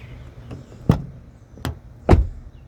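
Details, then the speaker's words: 2024 Toyota Corolla Cross XSE Hybrid, about 300 miles, two weeks old: one door shuts with three heavy, dull thuds, a deep clunk instead of a clean latch click, needing extra effort unlike the other doors; door closing fault. "This one makes a clunk noise. Just this door. and it requires a little extra effort."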